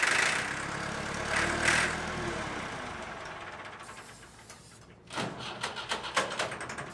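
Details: Late-1980s/early-1990s Massey Ferguson 50H 2WD backhoe loader, 4-cylinder Perkins diesel: catches, runs raggedly a few seconds, then sags and dies; fuel starvation, fuel not fully primed, owner suspects air in the lines.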